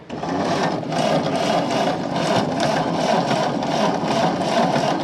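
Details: 1929 Ford Model A coupe sitting over 45 years; steady even starter churning about two beats per second with no firing; weak spark keeps it from starting.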